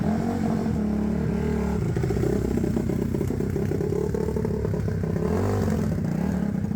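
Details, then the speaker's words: 2006 Suzuki RM-Z250 four-stroke dirt bike, turned over by hand, first kick start, idle screw turned down: single-cylinder thump settling to a steady even idle with no misses; idling properly. "all I did was uh turn it over by hand a couple times and pump the uh accelerator and then literally first kick fired right up and I was able to turn the idle down to make it idle properly"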